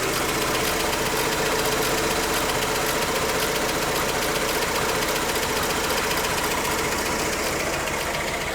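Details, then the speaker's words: 2008 BMW 1 Series E87 120i, N43 2.0-litre petrol: just started, idling unevenly with an irregular stumble and heavy jerking from constant misfires; faulty component not yet identified. "then you can listen to the whole thing and you can hear and see how extremely it jerks"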